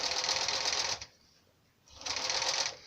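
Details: Sewing machine stitching four folded layers of faux leather: two even rapid bursts, no motor hum, growl, strain or jamming; normal sewing under load.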